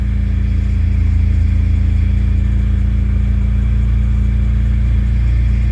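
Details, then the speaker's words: Car running after replacing a bad fuel pump that caused stalling: steady, even engine hum with a smooth low drone and no misses or stumbles; running cleanly. "it's doing good wow i'm pretty i'm pretty stoked"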